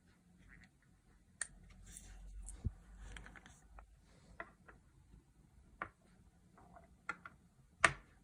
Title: Rattle sound inside DotAio